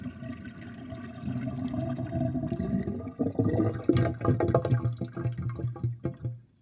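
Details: Kitchen sink drain with 50.5 mm sink plug: water runs away with low, hollow, irregular glugging and bubbling building halfway as air is drawn down; drain gurgling.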